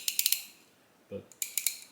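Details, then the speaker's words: Comparison ratchet, a 35-year-old Snap-On serviced and greased several times: light crisp clicks in quick runs of three or four per swing, no dry metal-on-metal rasp, lower tooth count; a well-greased ratchet working properly. "you can hear it just sounds like it's not metal on metal sounds like there's a little bit of oil or grease in there and of course you can hear the now obsolete tooth count"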